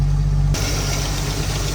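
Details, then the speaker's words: Engine at a rough low idle with light, irregular tapping from the top end, where the head gasket and pushrods were redone in 2019. The owner suspects a slightly loose rocker arm; there is no blow-by, and the cause is unconfirmed. "so there's definitely some yeah definitely some valve noise I was trying to see what that was I redid the head gasket and uh the push rods in 2019 so I've got a feeling that maybe one of those rocker arms are just a little bit loose"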